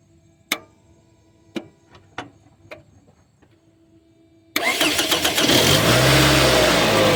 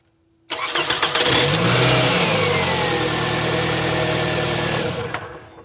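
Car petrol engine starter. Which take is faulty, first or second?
first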